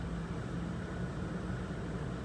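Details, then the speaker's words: 2003 Ford Expedition 4.6L idling after replacing the cylinder 2 coil pack for a P0302 misfire; quiet, steady low hum with no stumble or shake, misfire no longer felt, no codes present, runs smoothly on all cylinders. "No, definitely it's a change. I don't feel it like I felt it before. Before it was pretty obvious."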